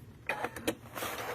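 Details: Second-hand Viking Designer Diamond sewing machine, recently serviced, in sewing or embroidery mode on pressing OK: a few sharp clicks and a brief mechanical rattle instead of a smooth whir; nothing found under the plate, source unclear.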